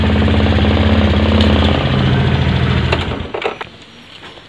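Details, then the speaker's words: Motorcycle single with aftermarket alarm, starter re-enabled after disarming by remote: fires up and settles into a steady, even idle thump with no knocks or misses; normal idle. "Nah, saat ini sudah bisa kita starter. Nah, mesin sudah hidup."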